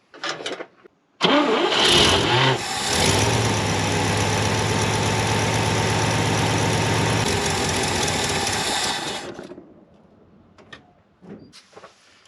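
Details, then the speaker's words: 1970 International Harvester 1200D 4x4 pickup, long-sitting: starter cranks evenly about eight seconds, never fires; no fuel reaching filter, fuel pump issue suspected, later switched to gravity feed. "still nothing so looks like we have a fuel pump issue"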